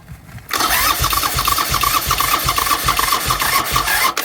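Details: Buell Cyclone standing 5 years, choke on: starter whirs slowly with even chugs about three a second, fading out as battery runs down, never fires; cranks, no start, cause unconfirmed.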